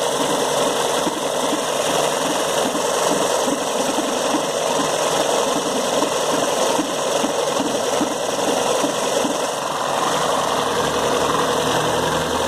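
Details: VW Gol 16-valve at idle: dry, fast, even ticking rattle over a steady idle from the timing belt bearing.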